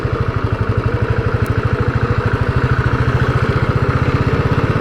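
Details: New Royal Enfield Bullet single-cylinder during the first-2000 km running-in period; steady, even low thudding pulses at a constant pace with a soft exhaust hum while under way; normal running.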